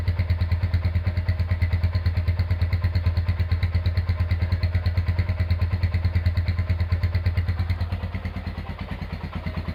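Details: Rebuilt Honda GL100 engine with Aspira piston, CDI ignition and valve clearance set to 0.10: steady, even single-cylinder thump at idle with no knocks or rattles. Normal, smooth idle after the rebuild.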